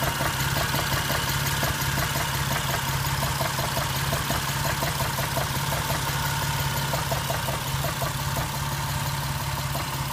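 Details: Jeep idling rough with a repeating knock, about three a second, over the low running sound; no warning lights on.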